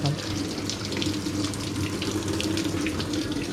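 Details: Hitachi SF-160XTV 16 kg washing machine that beeped but had a dead display; after a failed board component was replaced it powers on, and water rushes into the tub with no valve chatter or buzz; filling normally.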